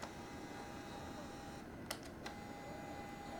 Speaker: Tends to have a pretty noisy lens, like a lot of the SX line.